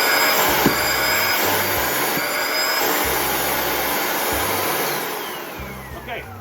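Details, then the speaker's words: Bissell ProHeat Revolution carpet cleaner suction troubleshooting, motor test with plastic over the intake: loud, steady, high rushing roar with no grinding, rattling or dropouts; suction motor is fine. "so that lets you know right away. The motor is fine, right?"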